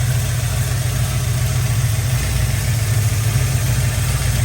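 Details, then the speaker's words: 1970 Ford F-100 with Crown Vic engine swap, new FST 600 CFM double-pumper carb just installed, choke not yet connected, cold start: deep, steady V8 idle rumble with even beat, no misses or knocks; normal idle. "man it's already running awesome so I'm going to hook up the choke now we left it off so we fire up easier"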